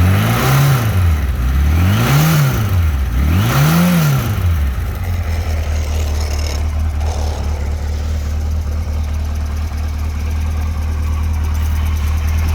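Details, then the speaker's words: 1992 Kawasaki KZ1000P ex-police four-cylinder, 30,000-plus miles, valve clearances good: three quick revs then steady idle with light metallic clatter at low rpm that fades when revved; loose cam chain with unadjustable slack spots. "the bike starts and runs great but you'll hear so you'll hear the cam chain noise at low RPM when it's loose move it up and it's tightened a little bit that goes away"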